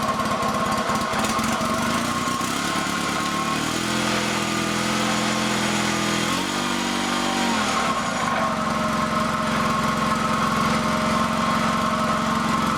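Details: Honda two-cylinder liquid-cooled tractor engine just fitted as a replacement in the FF/18, first shakedown run on a temporary wiring harness. It catches quickly, climbs smoothly through rev changes and settles to an even idle with no misses or knocks. Normal running.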